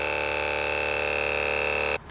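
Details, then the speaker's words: Wheego electric car brake vacuum pump, about 12,000 miles and 4 years old, before repair: loud steady buzzing drone with sharp high whine, cutting off abruptly; loose screw on a piston diaphragm, tightened to fix. "So on that note, I took the vacuum pump out of the car, I took it apart and found out there's actually a loose screw inside on the top of one of the piston diaphragms. I tightened it down, and after sounding like this,"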